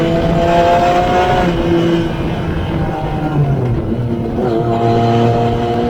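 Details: Newly rebuilt engine, once smoky from excess build oil, bounced off the rev limiter through the gears up to third or fourth, uphill: it screams to the limiter and drops cleanly on shifts with no misfire or hesitation; normal.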